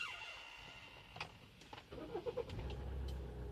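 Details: 2013 Hyundai Santa Fe DM, about 40,000 km, battery passed test, fuel pump primed: starter churns a couple of seconds with uneven chuffs before engine reluctantly catches; hard starting needing repeated attempts, cause unclear.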